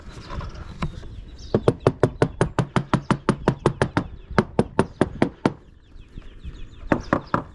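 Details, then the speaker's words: Hammer-tapping around the mast step and coach top of a free Halcyon 23 fiberglass sailboat: crisp, even ringing taps with no dull spots; rock solid, slight coach-top give possibly just its design. "Even when I bounce on the side decks, there's no squishy feeling. It all feels very, very solid underfoot. Let's check around this mast step. So absolutely rock solid."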